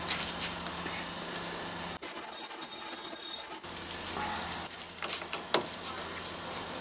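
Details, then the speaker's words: Mini lathe cutting a groove in a 5 kg cast iron gym weight for a homemade rotary table: harsh irregular grinding scrapes, squeal near the end, cut chattering and loading; a stuck disc brake left on the back also adds noise. "that horrible noise you can hear is I haven't taken the the disc brake off the back yet and I can't get it out it's stuck in there"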